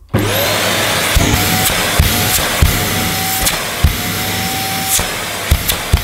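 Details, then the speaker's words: Vax Mojo II bagged cylinder vacuum, 1400 W. Motor spins up to a loud, steady whine holding pitch, with hose-handling knocks. Suction is good and a suction relief valve is suspected of kicking in when the hose is blocked. Normal running. "I've already had a bit of a preview because it was turned on and it's quite noisy."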